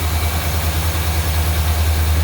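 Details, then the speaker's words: 1992 GMC Sierra C1500 with a 350 TBI and 242k miles, just after a failed water pump was replaced and the belt refitted and coolant topped off. It idles with a steady, even low rumble, no squeals or bearing whine, running healthy. "All right, she's running."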